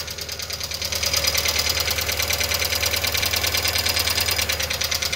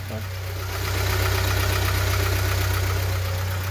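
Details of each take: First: Volkswagen Fox 1.0 at idle, 33 degrees, oil pressure above three bar: quick, even light ticking from the top of the engine, about three taps a second; likely the hydraulic lifters, needs teardown to confirm. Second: VW Fox 1.0 still cold, earlier with a top-end noise suspected to be a hydraulic lifter, oil pressure above 3 bar. Smooth, even idle pulse with no ticking from the top end: normal idle, noise clearly different now.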